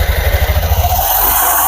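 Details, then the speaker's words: Honda Beat FI scooter started after a CVT service (roller, drive belt and clutch cleaned), before the CVT cover is refitted: idles with a soft, even low pulse that settles smoothly, nothing knocking or scraping; sounds healthy. "Coba kita hidupkan sebelum kita pasang tutup tutup septinya Oke ini sudah jalan"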